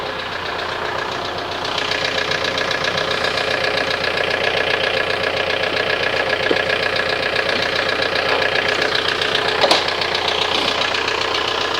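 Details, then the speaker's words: Toro TimeCutter SS 4225 mower, after drying fuel-wet plugs and starting fluid: uneven sputtering run, rough pulse about 2.5 per second, backfire; carburetor flooded, float needle suspected stuck, under warranty. Rough running. "is it running that backfire carburetor is flooded"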